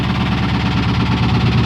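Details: Ford Crown Victoria ex-police car V8 idling loud and lumpy with irregular low thumps and stumbling beats, blowing smoke the owner calls raw fuel after engine failure: misfiring, rough running, cause suspected, not confirmed.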